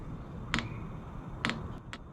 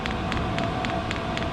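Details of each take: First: New diesel heater for a roof top tent, first start at 13 volts and 21 °C, fan on and set to maximum: two louder clicks, then a quick, even fuel-pump ticking about four to five times a second while it primes, barely drawing fuel yet. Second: New diesel heater for a roof top tent, first start after priming: crisp, even fuel-pump ticks roughly four a second over a steady fan hum, the pump going faster as it lights with a little smoke. Normal start-up.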